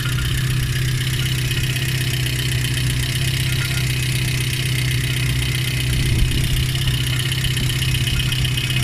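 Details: Lada 2114 1.6 8-valve engine running during cooling-system flush with citric acid and water, alternator belt removed: steady idle with faint uneven tapping over low drone; engine knock, owner suspects water pump, not confirmed.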